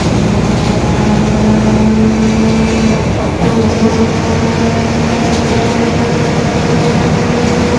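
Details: Marcopolo Torino S bus, 2021, Mercedes-Benz OF-1721 BlueTec 5 chassis, lengthened, urban service; steady low drone with a hum under the engine as the bus rolls; growling rear differential.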